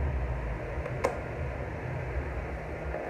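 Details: Arno pedestal fan after cleaning and service runs smoothly with a soft, steady hum and strong airflow; the earlier noise has stopped, no rattles or grinding.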